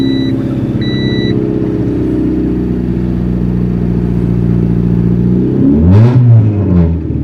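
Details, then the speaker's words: 1995 Honda Civic DX 1.5L after head and head gasket replacement. Steady, even idle with smooth revs rising and falling, no knocks or misses: normal test run. "the test run was successful"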